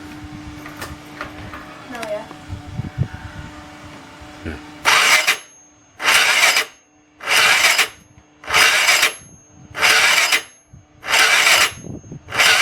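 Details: Piaggio X9 scooter with a flat battery and a bad starter with a slow bendix: short whirring cranking bursts about every 1.3 seconds, each dying without the engine catching; weak, sluggish cranking.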